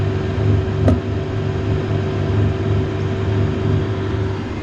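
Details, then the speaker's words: Victron Phoenix feeding Multiplus in series, portable A/C compressor starting on top of 2.7 kW load: inverter hums, swelling up and down, output drops out and cycles repeatedly; owner suspects too much inductive load, unconfirmed. "off again off again just by running the air condition off again could you hear the inverter harming and this is only if I introduce the air conditioner"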